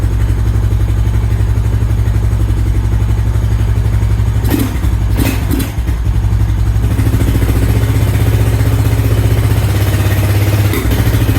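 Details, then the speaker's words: 2000 Honda Foreman 400 4x4 single-cylinder, choke off, possibly old fuel: deep steady thump with brief throttle blip, no misses; now running normally. "well I'd say it cleared out whatever was in there seems like it's doing okay now"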